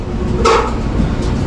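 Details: Maytag dryer before repair: low drum rumble with a thump roughly every second as it turns, from a worn belt and tired idler and tensioner pulleys; replacing belt, tensioner and idler pulley fixed it.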